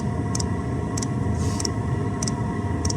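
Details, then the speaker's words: 2 kW Chinese diesel heater on diesel turned right down to its lowest setting (8), almost on tick over: sharp fuel pump ticks about every 0.6 seconds over a steady fan hum; normal low idle. "8. There we go. That's the pump. Almost on tick over."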